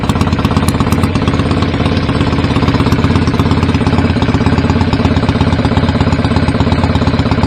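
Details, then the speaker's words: BSA A50 Royal Star twin, bought as a non-runner, at first start after restoration with pattern exhaust: loud, lumpy idle with slightly uneven firing pulses. Needed throttle to fire; owner suspects timing slightly off and plans a strobe check. "yeah I had to give it a bit of throttle to get that to fire up that's all that needed really uh just sound as all the time in these maybe a little bit off"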